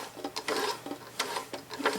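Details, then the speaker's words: White 999 sewing machine, about 40 years old, after cleaning and oiling, bobbin and case removed, hand wheel turned: light soft ticks and clicks each rotation, no grinding or resistance; quiet mechanism. "you can hear it's nice and quiet I mean it's not silent but it's running pretty great in terms of like machine noise"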